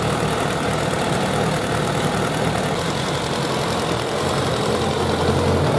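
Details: Suzuki Bandit 1200 four-carburettor naked bike at hot idle during carburettor synchronisation; even, steady beat with no hunting, stumbling or misses, carbs sounding balanced, a normal healthy idle.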